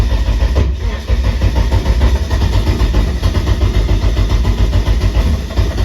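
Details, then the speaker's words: Eagle Talon with SRT-4 swap on MegaSquirt, coil packs firing, timing set to 210, fuel very high, turbo feed changed from -4 to -6: loud, uneven, lumpy rumble that never settles and stumbles; owner thinks it struggles transitioning, likely fueling. "I have the uh timing set to 210 and this is my fuel just really high I think it's having trouble transitioning"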